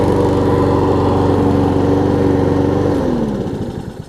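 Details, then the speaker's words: Troy-Bilt self-propelled mower with donor Honda engine replacing blown Briggs, after restart; steady even beat holding speed, then winds down smoothly; seems a tiny bit low on compression but runs good. "Oh yeah. it does seem like it's a tiny bit low on compression, but it runs good."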